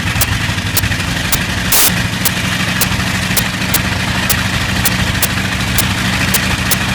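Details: Bristol Hercules radial engine at a steady low idle, broken by a sharp crack about twice a second and one heavier pop; slight misfire.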